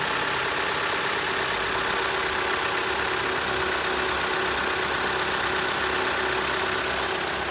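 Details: Gasoline engine started after repairs to cam caps and oil lines, with no oil pressure warning and no VANOS sound: even, steady idle with no ticking, rattling or clatter; engine sounds healthy.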